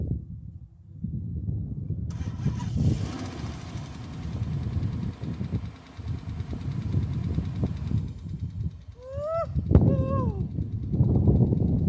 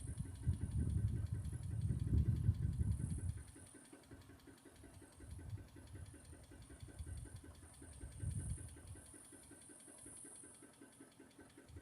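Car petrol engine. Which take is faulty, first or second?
second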